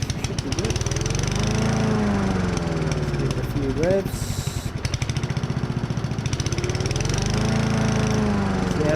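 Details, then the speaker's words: Honda self-propelled lawn mower engine running steadily with an even, rapid putter after repair of a loud knocking noise, blade reinstalled and bolt tightened; no more knocking. "pretty good job done fixed and ready for another five hundred and ninety hours hopefully"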